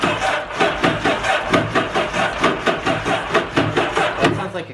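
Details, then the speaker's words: 2011 Yamaha WaveRunner VX110 Deluxe jet ski, sitting unused for years, first start attempt: starter turns slowly and unevenly, about one labored beat a second, never catching; slow crank, suspected bad connections, compression test planned. "no that sounds a slow crank that's probably our connections yeah this sounds like slow crank"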